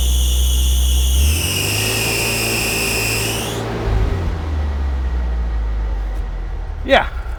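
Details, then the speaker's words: Off-road vehicle idling: loud steady high-pitched squeal over the engine for a few seconds, then cuts out; sounds like a belt squeak but owner is pretty sure it comes from the clutch. "so that sounded like a belt squeak right turns out it isn't um i'm pretty sure it's coming from the clutch and uh that's yeah let's get it in the shop"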